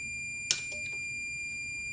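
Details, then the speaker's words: Indicator relay from a Meta Systems M76 car alarm on a 12 V bench supply with meter: after one click the meter's steady beep continues, relay not releasing until tapped with a screwdriver; sticking relay contacts causing sticking indicators, relay replaced. "the relay isn't changing state. But if I give it a tap with my screwdriver, there you go. So that proves that this relay is definitely sticking."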